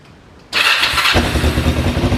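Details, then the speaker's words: Cheap learner motorbike project, cold start in neutral with the manual choke on. The starter catches at once and the engine settles into a slightly lumpy but even cold idle; it starts fine. "oh yeah oh wow she starts straight up obviously a little bit cold a little bit lumpy um but if we give her some give her some choke and give her some time to warm up definitely got those learner bike sounds that's for sure"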